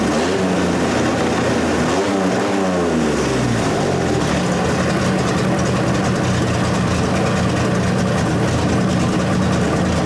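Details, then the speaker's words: 1927 Hudson running for the first time in about seven years; the owner wants to lower the idle. It rumbles unevenly at first, blips up, then settles into a steady low run with no knocks: normal running. "but it lives it is alive wonderful move under its own power"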